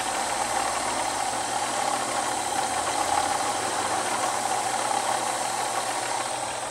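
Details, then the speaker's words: Chevrolet Omega engine after a coolant change: steady hiss with a constant mid-pitched whine. The noise began last month and coolant drops 1 cm in 5 days, now leaking from the water pump shaft. Failing water pump, replacement planned. "tá fazendo barulho feio também Olha que tá indo água aqui ó Hoje começou a vazar bem daí eu olhei por baixo do carro ele tá vazando do eixo aqui mesmo então já vou ter que comprar uma bomba d'água nova"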